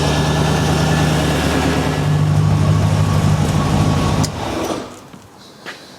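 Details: Pinto engine with two Weber side-draft carburetors, fuel pressure holding at about 3.5 psi: smooth, even idle with a steady low beat for about four seconds before switch-off; fuel delivery adequate, running cleanly.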